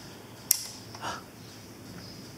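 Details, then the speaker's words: Homemade relay-based 1-bit ALU on a custom circuit board, first power-on. A single sharp click, then a quiet hum, and the power light comes on. The relay pulling in as it should, a good sign. "I did hear a click. That is an incredibly, amazingly good sign."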